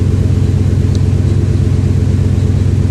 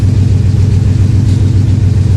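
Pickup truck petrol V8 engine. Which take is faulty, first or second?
second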